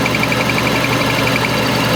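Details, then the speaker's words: Subaru squeaky clutch: a thin high chirp pulses quickly over a steady idle, coming from the throw-out bearing. The fix is adjusting the slave cylinder forward on the clutch fork. "so the first thing you have to know is that this sound comes from your throw out bearing"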